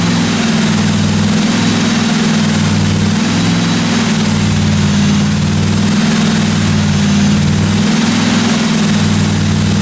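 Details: 1957 Chevy 210 project car during its first-run camshaft break-in of about 20 minutes: steady, even low rumble with a smooth unbroken rhythm and no valve-train ticking or tapping; normal running, no weird noises.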